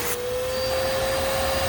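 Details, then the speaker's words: 2012 Bissell Powerforce Helix Turbo vacuum, model 68C7, abused curb find: steady high motor whine with thin constant tone over airflow roar; motor bearings worn and need replacing, rest of motor fine. "Oh, the motor bearings are in sad shape. The rest of the motor is fine. It needs bearings."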